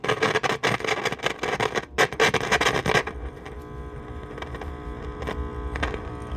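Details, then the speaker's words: Vintage Philco Model 7030 signal tracer/dynamic tester, unrestored with one new capacitor: choppy buzzy bursts break up harshly then drop to a faint rasp; speaker rattles and distorts, voice coil suspected broken. "Yeah, it sounds like the voice coils broken in that."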